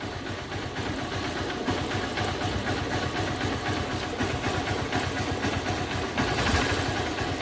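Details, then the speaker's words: 2008 Hero Honda Hunk motorcycle, about 16 years old, cold start after sitting 17–18 hours: steady, even idle with a soft regular beat and no top-end ticking. The earlier tak-tak cold-start noise, which faded after 5–10 km, has stopped. "गाड़ी start हो चुकी है य देखो noise noise पूरा stop हो चुका"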